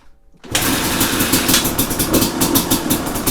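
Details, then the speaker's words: 2005 Kawasaki KX250 two-stroke, first start after full rebuild for low compression (piston shot, crank play), choke on: silence, then a single kick catches into a crisp, even, rapid buzz; healthy first-kick start. "Woo! First kick, man."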